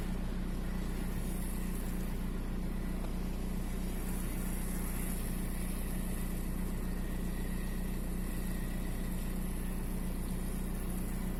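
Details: VW 1.9 TDI (AXR) diesel idling with a lumpy, uneven beat, about three pulses a second: intermittent cylinder 4 misfire, fault 16688 / P0304.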